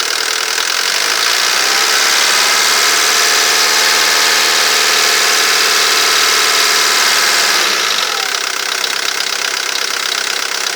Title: Vw Golf III 1.9TD (AAZ)knocking/ticking noise